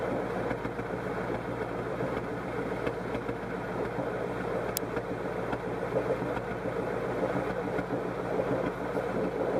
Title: DIGIROLAMO MISFIRE 1